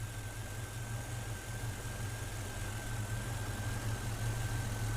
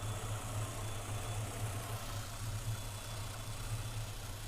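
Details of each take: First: Engine with a newly installed throttle body injection system: throttle plates are slowly opened and idle rises to about 610 rpm toward a 650–700 rpm target; smooth, even drone with a faint whine and no misses or knocks. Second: Engine with newly installed throttle body system, IAC pintle seated fully in and unplugged, throttle plates too closed: slow, uneven lazy idle around 450–460 rpm on timing light tachometer, barely staying running, sometimes needing throttle.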